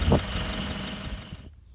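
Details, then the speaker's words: Toyota Prado/Land Cruiser LC120 with 1KD-FTV diesel idling with a faint, steady high squeal from the exhaust flex joint; it stops when the tailpipe is pressed and returns. Replacing the gasket fixes it. "if you put your foot on the tailpipe hear that stopped it'll slowly come back as it vibrates"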